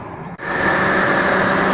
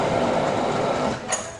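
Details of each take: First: Honda Civic accessory belt drive after the belt tensioner was tightened and the belt refitted. The engine spins up to a steady, even run with a smooth belt hum and no knocking or chirp; the belt drive sounds healthy. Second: Honda Civic petrol engine running with a fast, light mechanical ticking from the belt area, knocking when AC engaged; stethoscope traced it to a worn alternator belt tensioner bearing, fixed by replacing it.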